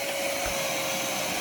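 A steady electric whirr with an even pitch and no grinding or catching, the headlight motors running smoothly.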